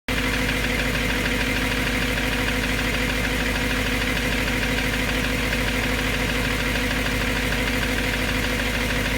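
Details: BMW M3 S65 V8 idling steadily with a light, fairly regular tick over the engine note, still present after bearings were just replaced; cause unknown.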